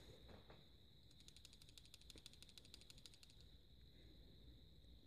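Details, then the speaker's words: Samsung Galaxy S5 camera: fast run of sharp ticks, about seven a second, over near silence; rep says the optical image stabilizer is loose, a known defect; phone being sent for repair. "I went into my local Best Buy and one of the Samsung rep said that it is this image stabilizer that is not in place this supposed to be some kind of defect"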